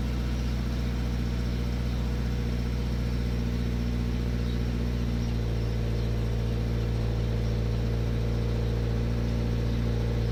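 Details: Toyota GT86 cold start: steady cold idle with light, uneven metallic rattle over low drone, easing slightly partway through; cause not found — cold-start rattle.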